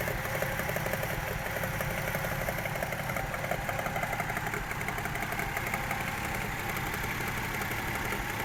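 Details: Toyota 1JZ-GE engine at idle after new spark plugs and gearbox oil change: light, fairly quick, slightly irregular tapping with revs dipping now and then; knock at idle, camshaft bolt torque suggested, cause not yet found.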